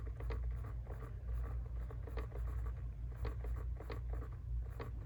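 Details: Jeep Wrangler JL: quick, slightly uneven repeating clicks in bursts behind the passenger glove box over a low cabin rumble, attributed to the blend door actuator, like a small actuator gear skipping.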